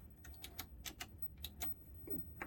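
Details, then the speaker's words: 1982 Panasonic NV 366 VHS recorder, powered up after storage with known bad belts, trying to play: irregular light clicks and ticks with no steady transport hum; not lacing the tape, fails to play. "it doesn't really play yeah it sounds like it's not lacing up probably so let's crack this open and have a look"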